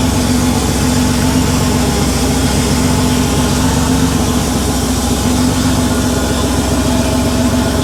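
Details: Porsche 911 3.2 Carrera flat-six on a test stand, first run after a complete rebuild, on cold start: a steady, smooth idle with no misses or knocks, running a little rich and with no smoke.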